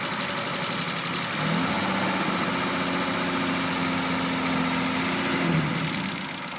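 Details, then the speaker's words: Aston Martin V12, heard from underneath during light revving: a steady knock rides the engine note and rises with revs; this is the onset of big end bearing failure, and the engine needs a complete rebuild. "next clip we're underneath a v12 engine and just lightly revving it up and this is the onset of that big m bearing"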